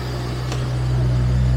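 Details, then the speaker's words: Jaguar V12, stored for winter and started about monthly, warm-up start: a steady, low, even idle hum with no knocks or misses, good oil pressure and charging; normal idle. "we've got oil pressure got everything up and running"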